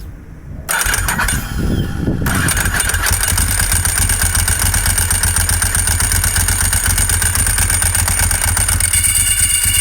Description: The sound of a worn Ducati Clutch and throwout bearing beginning to fail.